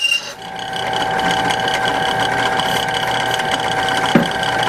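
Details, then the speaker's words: Drilling through steel without cutting oil, as the bit finishes the hole: a steady high-pitched squeal over the motor hum. The bit is running dry and needs oil. "and it didn't get a little oil at the end and it started to you know squeak make some noise"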